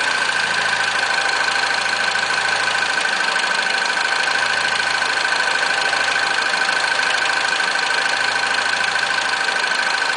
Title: RCZ rattling noise when cold started